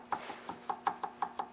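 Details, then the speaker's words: Tecumseh engine on a Mastercraft 8 hp 24-inch snowblower: sharp metallic clacks about five per second, a loud knock. Excessive connecting rod bearing play was found, with the crankshaft also loose. "So that's the sound that you hear when the engine is running. I've seen this before, and this one's pretty bad. That's a lot of loose in there."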